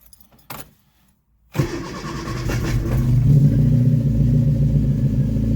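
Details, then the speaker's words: Freshly rebuilt 1311cc A-series engine after the timing was reset, cold restart with a little choke while warming up; short crank, then a smooth even steady idle with no knocks or misses. Normal idle. "That sounds amazing."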